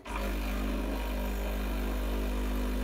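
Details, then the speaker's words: Breville Barista Express BES870 pump during a double shot while programming the double-cup button; steady low buzzing drone holding even after start-up, no sputter or strain, pressure gauge around one o'clock. Pump pushing water normally. "the machine will start giving me coffee so um and i'm going to stop it when i'm happy with the volume"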